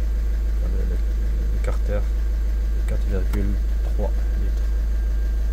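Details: 2011–2012 VW Passat 1.6 TDI 105 hp (CAYC) diesel, run during major service to circulate new oil: even, steady idle, smooth low rumble about four pulses a second, no knocks or misses.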